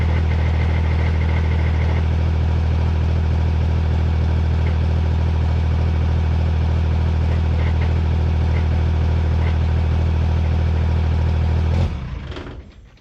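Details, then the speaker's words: Cummins drag truck after track trip: diesel idling with loose marble-like rattle about three per second until shutdown, truck won't roll backwards; likely internal transmission damage. Transmission rattle. "All right, well, it sounds like it has marbles in it. That's not good."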